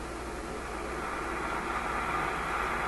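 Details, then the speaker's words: RCA A25 vacuum-tube shortwave radio during IF/RF alignment on a loop antenna: loud steady hiss and buzz swamps the station and knocks back the AVC; outside electrical interference, possibly from computers. "There's the noise coming in again, knocking back the AVC."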